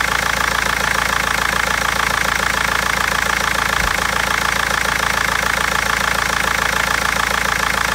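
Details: BMW 320d diesel idling: sharp, regular clacking knock about three and a half times a second with misfires; injectors or lifter suspected, garage and seller unable to find the cause for over a month.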